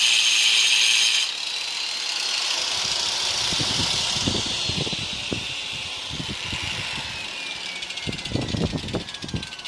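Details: Hand grinder with a 4-inch circular saw blade, slowed with a 2000 W dimmer, chopping wood: high whine dropping in pitch as the blade bites, with choppy bursts of cutting; the slowed grinder cuts normally.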